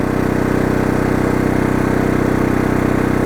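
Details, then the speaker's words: Oxseryn 2500 W inverter generator in eco mode under about 885 watts of heater load on low. A steady, even drone with a smooth regular pulse and no hunting or misses; it runs healthy and quiet. "And notice, no problem with this generator, especially on eco mode. It is really quiet."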